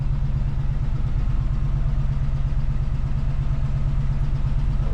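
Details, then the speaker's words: 1973 Chevy C20 V8 before sound deadening, in-cab decibel meter reading about 65 dB at idle, cab near transmission about 130 degrees: deep steady burble around two pulses a second, no knocks or misses; normal baseline idle. "still going about the same speed same rpm here's kind of a baseline idle"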